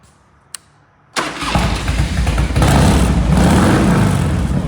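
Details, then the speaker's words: 1992 Harley-Davidson FXR Evo with a newly installed exhaust, first start after install: deep, loping idle of about four beats a second that holds steady; healthy start and idle. "baby damn that thing sounds good oh yeah oh yeah it looks good too"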